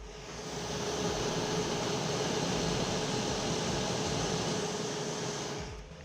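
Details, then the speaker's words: DJI Power 2000 power station, mic at the intake port: steady soft rush of air with only a faint tone underneath; normal fan airflow with no whine, unlike the EcoFlow. "So, you see how it just sounds like air on the DJI."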